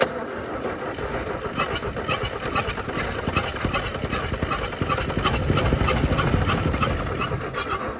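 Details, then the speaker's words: Toyota Stout pickup with 3R four-cylinder, abandoned since 1984, with no proper carburetor and gas poured in: the starter cranks at a steady rhythm of about 2.5 beats a second but never catches. Flooded engine; plugs fuel-soaked. "I'm going through pulling all the plugs. They got a lot of feel on them. That's not going to help it run. I said we flooded this thing several times now."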